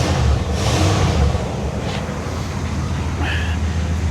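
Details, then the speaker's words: 1979 Cadillac Coupe DeVille carbureted V8 on first start after a new carburetor and carb-cleaner cleaning of the intake: a steady, even low rumble with no stumbling, smoky exhaust. Before the swap it would not idle and died every time. "As expected, it runs perfect."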